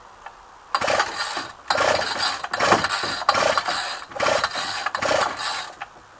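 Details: Ryobi string trimmer, unrun two weeks, cold 8-9 degree day, long string fitted: short pull-cord rasps about one a second with a faint pop but no run; owner suspected the long string, actual fix was carburettor adjustment.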